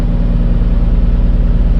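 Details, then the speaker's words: Nissan 350Z after cleaning and reinstalling the interior wiring harness: even steady low idle with smooth regular pulse, no misses, knocks or hunting; sounds very healthy, nothing burning, engine idling normally. "hey guys that sounded very healthy that sounded really good we must yeah we did the job right guys"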